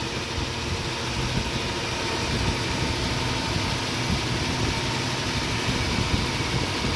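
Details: Nissan Xterra at idle: rough, uneven low rumble with irregular stumbles and dropped beats; misfire at idle, cause suspected, not confirmed.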